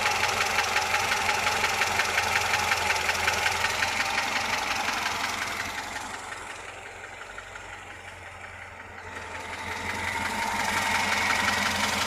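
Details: VAZ 2107 engine at idle: steady, even internal tapping knock keeping pace with idle speed; source unknown.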